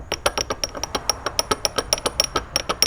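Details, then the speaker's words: BMW E46 M3 S54 engine, about 200k miles, P0014 code: original vanos pump disc and sprocket turned by hand give quick sharp clacking about six times a second; excess play, replaced with Beisan upgrade. "So this is originally what was in the car. You have the pump disc and then you have the sprocket. Listen to the play that's going on when this is being turned."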